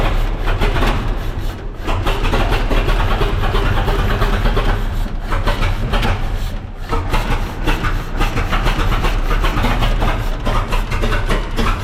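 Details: 1926 Seagrave city service ladder truck, 1013 cu in "F" six-cylinder, just started after 10+ years sitting, no work done beyond battery and gas to carburetor; loud ragged low rumble, uneven stumbling beat with firing gaps, missing on one or two cylinders.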